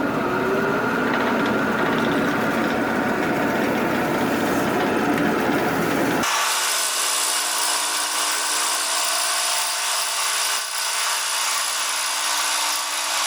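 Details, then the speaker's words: Old 1970s Sprunger bandsaw, 14-inch wheels, new tires, after replacing belt with anti-vibration link belt: even, steady cutting drone with no thumping or belt slap, much quieter and smoother than before; smooth running. "now I'll turn the bass on I'm gonna cut right away you're going to notice it's a lot quieter smoother"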